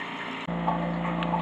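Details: Flojet LF-12 water pump, run on 9V 1A rather than 12V, kicks in abruptly, then a steady low hum with light ticking; pump running normally.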